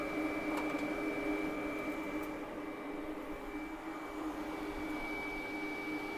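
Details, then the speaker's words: EGT EG360T-type mini skid steer, engine off with battery switch on after hard work: steady electric whir of the hydraulic fluid cooling fan, kicked on by temperature; normal operation. "Yeah, so it gets to a certain temperature, this cooling fan is going to kick on and cool that hydraulic fluid down."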